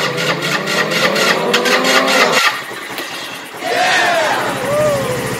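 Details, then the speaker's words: GY6 150cc Chinese scooter, first start after replacing the problematic original carburetor with a new 24mm eBay carb; catches, revs up and drops back, then runs steady and even with no stumbling; starts and runs cleanly. "yes i want to stay and running holy cow sounds really good this is a sucker man that was a good decision"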